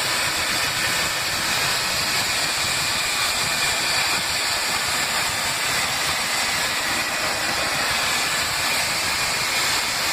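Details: Spicejet aircraft cabin, Delhi to Srinagar flight, air conditioning not working: constant loud hiss, strongest in the upper range over the cabin roar, coming from near the front exit door; an air leak.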